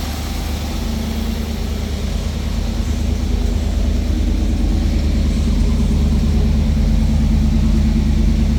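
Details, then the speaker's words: 1991 Pontiac Firebird, 100% stock exhaust, 60,000 original miles, idling after start: steady, even, quiet low rumble with a slight lift partway, then settling back; smooth, healthy idle. "100% stock car, the way GM intended it to be, so nothing crazy, no loud exhaust. It's nice and quiet."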